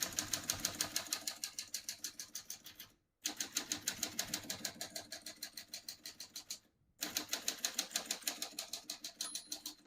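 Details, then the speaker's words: Serviced 1945 Smith-Corona Clipper portable typewriter, margins set: crisp, evenly spaced key strikes about three a second, with the bell ringing near the margin's end before carriage return. Working normally. "you hear the bell, you're near the end of the margin. Hit slide space, gets you back to the beginning, and skips one or two spaces."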